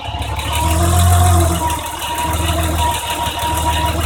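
Inline six idling with a light, loose rattle riding over the hum; swells briefly with revs, likely valve train noise after adjustment.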